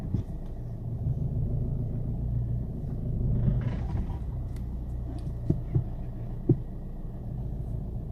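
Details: 2008 Volkswagen Golf V 2.0 TDI clunking/knocking over a garage bump at low speed; sharp knocks rise out of a low rumble. The noise also occurs on uneven roads and with the engine off. Cause unknown.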